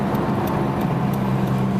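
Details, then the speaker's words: Driving while turning right, loading the suspected bad left-side wheel bearing; steady low whirring hum over road noise with vibration felt through the accelerator, louder at higher speed and easing when turning left: worn wheel bearing. "putting the weight of the vehicle as we discussed on the left side of the vehicle on that bad bearing and here we're going to make another turn the faster you go generally"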